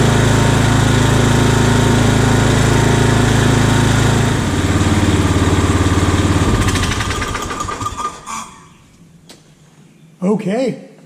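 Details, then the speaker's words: Old Scag hydrostatic walk-behind mower with a new carburetor and ignition coil, throttle just off idle: the small engine runs evenly with a regular beat, then winds down at shutoff. It was revived cheaply and runs cleanly. "it looks like we have brought this thing back from the dead for very little"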